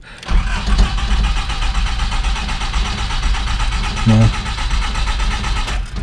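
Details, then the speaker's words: Nissan D21 flatbed truck that had sat for 5 years, with a fresh battery. The starter cranks steadily and evenly for about five seconds with no firing at all, a crank-no-start; afterward the key-on fuel pump was heard pumping. "just cranking now uh so"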